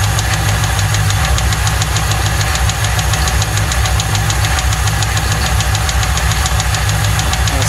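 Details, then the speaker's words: 1995 Lincoln Mark VIII with original 4.6 DOHC aluminium V8, run without oil: sharp regular metallic knocking over rough idle, steady with engine speed; rod knock, engine needs replacing. "this story doesn't end well it sounds like it's got a rod's happening she's gonna need a motor"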